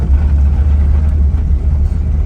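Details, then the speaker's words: Nissan 280ZX six-cylinder after replacing the injectors with remanufactured 18 lb/hr at 36 psi units, while the ECU is still learning: smooth, even idle with no misfires, where before it ran very rough. The exhaust also needs replacing. "It was running very rough. I could tell misfires. Now feels like it's firing on all cylinders."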